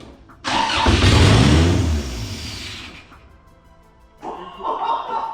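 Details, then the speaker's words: Toyota Corona endurance race car with a swapped 3S engine, first start attempt, no exhaust fitted, after a ground strap fix: engine catches with a loud open roar for about two seconds, then fades and dies; suspected fuel delivery fault. "I think we've got a fueling issue."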